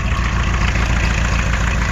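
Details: 1986 Isuzu Trooper 2.2L C223T turbo diesel, first start after a full rebuild of a seized engine; oil pressure is good. Low, steady diesel clatter at idle with an even beat and no knock. Healthy rebuilt engine.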